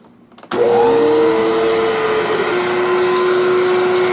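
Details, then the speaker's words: Electrolux 2100 canister vacuum with power nozzle attached: motor spins up quickly then smooth even whir; power nozzle sounds normal, though owner thinks the vacuum motor sounds off, possibly needing work or replaced. "Now this power nozzle seems to be in good shape and seems to sound good. But the vacuum, I don't know. It don't sound too hot in my opinion."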